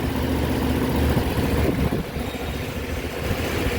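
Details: Suzuki Burgman Street scooter after a fix for hard starting and stalling at idle (O-rings replaced, reprogrammed with SDS2): steady, even low putter with no misses, knocks or hunting, settling into a clean idle.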